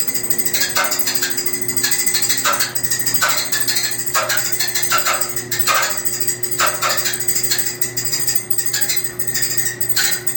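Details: Maytag dryer running: a steady hum broken by harsh, scratchy screeches repeating roughly once a second.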